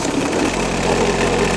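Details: Terex light tower diesel generator, first start after a rebuild with a new fuel filter and cleaned wiring, glow plugs and fuel pump primed first: catches near the end into a firm, even diesel clatter with no misfire. Normal start and running.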